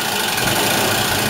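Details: Inch-scale single-cylinder steam engine driving a newly installed gypsy winch head on compressed air, pulling a vice across the floor: even, steady hissing chuff, no knocks or stumbles; running normally and healthy.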